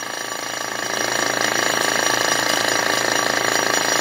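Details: 70-year-old Sears Roebuck diaphragm compressor, enough to pump up a small inner tube: even pumping pulses about two and a half per second, building in volume then steady; running fine.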